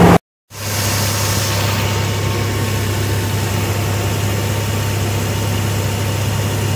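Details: Old diesel van long left sitting, just started cold with a lithium jump pack: after a short gap settles into a smooth, steady idle with constant low hum; running normally, alternator charging.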